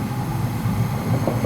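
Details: Old (about 12 years) Whirlpool gas water heater whose pilot wouldn't stay lit, after replacing left-hand-thread thermocouple; low steady roar with soft bubbling, no popping or sputtering; burner lit and running normally, repair fixed.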